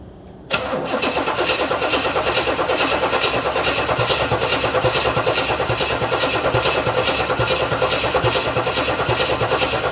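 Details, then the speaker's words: Long-stored 1970s Cadillac convertible, converted to electronic ignition, cranking with no start: starter spins steadily about three turns a second for ten seconds without firing; fuel pump delivering no fuel. "Stop. Yeah, it's not pumping anything."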